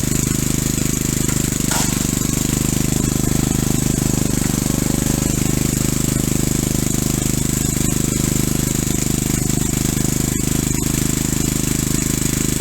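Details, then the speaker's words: Single-cylinder engine rebuilt with oversized rings and a light hone, driving a hydrostatic unit through a shaft off the flywheel, under load: hollow knock about two per second, piston slap, as expected by the owner. "I knew I was going to get piston slap and I do have piston slap in it"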